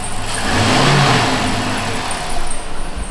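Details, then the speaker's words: Dodge Magnum R/T V8 after an O-ring replacement and sensor work, no check engine light, idling around 800 rpm while still warming up in park, revs smoothly and settles back steadily; only a faint belt squeal remains. "That sounds good. Like that sounds like how this car should sound."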